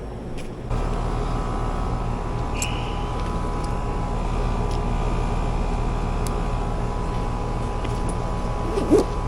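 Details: Commercial AC condenser under a restaurant after a bad capacitor caused locked-rotor amps and tripping; after repair, steady low hum and even fan rush, compressor starting and running normally, cooling.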